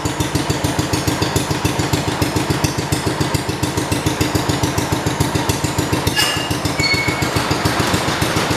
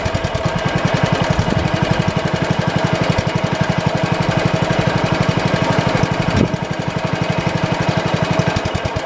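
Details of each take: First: 1971 John Deere 110 hydraulic-lift tractor that had running issues, possibly a bit flooded, started after spark plug work: steady, even exhaust beat of about 3.5 firings per second with no misses or knocks: normal running. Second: 1971 tractor (110 model), single-cylinder engine being throttled up: a steady thump with crisp snapping ticks and a brief stumble. A chafed spark plug wire is arcing to ground, heard but not seen; it is to be taped.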